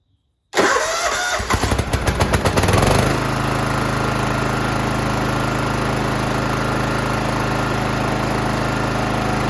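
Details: John Deere GT275 Kawasaki engine after replacing a broken valve spring, adjusting the valves and fitting a new valve cover gasket dry: two seconds of uneven cranking chuffs, then it fires into a smooth, even idle. Normal start and idle.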